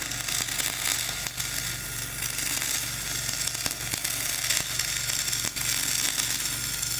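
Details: Dual-shield flux-core welding on a preheated outrigger pad, voltage up half a volt, Trailblazer one notch up on rpm: a steady hissing crackle with a hum, uneven in spots; the poor bead is thought mainly due to the high, ropey stick weld underneath.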